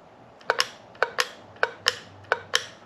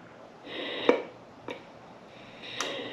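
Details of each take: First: EVAP canister vent solenoid from a 2012 Chevy Express van, bench-tested with a 9 V battery: sharp double clicks as it opens and shuts; clicking means the solenoid is probably good. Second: EVAP canister vent valve solenoid off a vehicle with over 130,000 miles, heavy stop-and-go use and intermittent fueling problem, bench-tested with 9 volts: air hisses between sharp clicks, opening click late and uneven, valve sticking; replaced (codes P0446, P0449).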